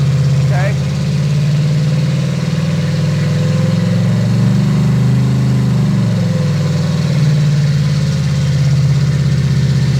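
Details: Brand-new fuel-injected 350 Chevy V8 on first run, RPM raised slightly under light load, 18 in vacuum, 60 lb oil pressure: deep, smooth idle with a steady low rumble and no knocks or misses. Motor judged to sound fine; normal idle.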